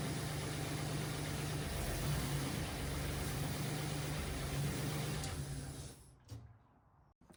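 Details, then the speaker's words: MGB GT with a swapped Jaguar AJ30 V6, restarted after the first startup and leak, coolant and oil checks: it idles with a slightly lumpy, uneven beat, then shuts off. It runs better but is still not quite right; the cause is unclear. "Still not quite right, but it's definitely running better."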